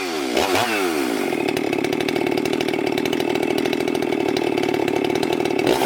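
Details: Husqvarna 394XP chainsaw, freshly rebuilt and ported, first shakedown runs cutting a large log: steady high scream through the cut, no bogging or surging, strong clean pull. Runs normally.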